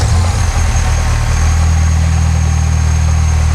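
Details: Copart Mini with a new turbo, oil topped up and water pump plugged back in, idling with no leaks seen. A steady, even idle with a low smooth hum and a faint constant whine, no stumble or knock: running healthy.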